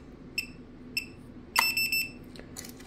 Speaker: now the fobs instead of just beeping once it makes tones and opens and closes so the way to get rid of that um you scan this manager card four times